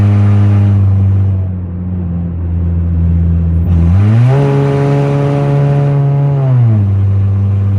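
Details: 2004 Honda CR-V (2nd gen) with stolen catalytic converter, driving at low speed: loud raspy exhaust drone climbing sharply with revs and falling back off throttle.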